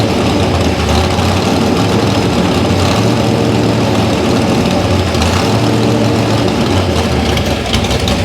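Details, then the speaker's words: A loud, lumpy V8 idle with an uneven low beat that never settles. Rough running is from a faulty carburetor, and carburetors are being tested. "oh you don't have to put that lousy running oh yeah we do that sounds good oh this car we're just you know what yeah testing carburetors actually"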